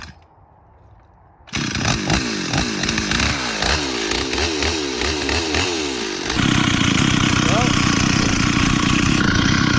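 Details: Stihl 044 chainsaw rebuilt with a cheap Amazon cylinder, piston and carburetor plus an OEM coil, carb tuned for summer: it fires and revs in bursts, then settles into a strong, steady cut under load; running well.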